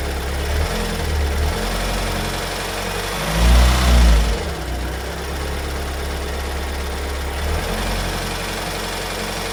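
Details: Kia Sorento 2.2 diesel MQ4, 2022, cold start: deep, uneven idle knocking about three to four a second, new after two weeks in dealer service; cause unknown.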